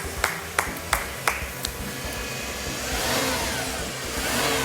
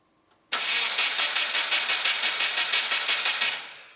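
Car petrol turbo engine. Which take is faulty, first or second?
second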